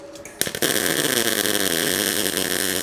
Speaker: that sounds good I mean at least I think so sounds like what I expect a world to sound like actually that's not that bad